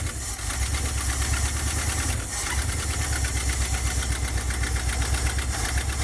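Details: 1977 Dodge van 318 V8 2bbl after mileage/horsepower rebuild with changed air intake, first cold start, idling in gear: even rhythmic burble, about four pulses a second, quiet, no knocks or misses. Normal idle.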